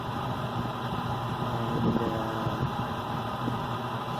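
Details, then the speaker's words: Furnace heating during pre-winter inspection, humidifier running: quiet constant low hum with soft airy rush, no rattles or scraping; furnace performing well. "so this furnace is working pretty good so i'm happy with the performance"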